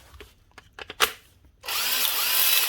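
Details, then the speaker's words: 2007 Makita BTD140 cordless impact driver, 17 years old and heavily used: a few clicks then a high, raspy, wavering motor whine; rough-running motor, armature suspected needing replacement. "T what not in the best of ship obviously what all still run though sounds like the problem yeah as the motor"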